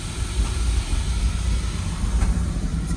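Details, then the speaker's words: Oil-fired boiler burner running after repairing wiring damage caused by a Wi-Fi thermostat install: a steady low roar with a ragged, uneven texture and hiss on top. It sounds rough, and the oil company is to be told. "better tell them the Call's oil company this thing sounds like trash"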